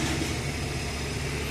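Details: Suzuki DA64V van with no-start problem, after fixing a burnt wire at the indicator panel: short even steady idle with smooth low rumble, no knocks or stumbles, no check engine light; normal idle.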